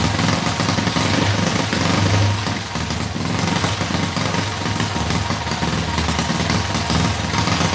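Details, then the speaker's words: Predator 212cc single-cylinder engine, freshly built from the box, runs after a flooded pull start: uneven, hunting note with a mushy low rumble; builder can tell the carburetor jetting is way out of whack and plans to open the carb. "I do want to open the carburetor up, take a look at the jetting, because I can tell it's way out of whack. We got to mess around with it."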